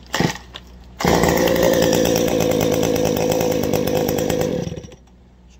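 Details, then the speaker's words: Two-stroke chainsaw just after carburetor adjustment, started without touching throttle or choke: catches on the first pull and settles into a steady, even buzz with no bogging, idling by itself, a normal clean start and idle. "once you get that adjusted you want two things you want it to idle by itself and you want to sound good idling and you you want to start right up basically"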